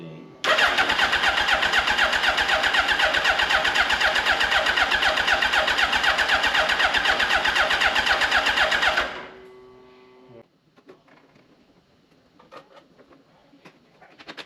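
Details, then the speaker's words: 2005 Suzuki Hayabusa (EFI) abandoned about five years, healthy battery, fuel pump heard priming: fast, even starter chug at about four beats a second for eight seconds, strong and steady, healthy cranking. "Yeah, the good thing about turning it over before I can hear the fuel pump kicking in. So, that's a good sign."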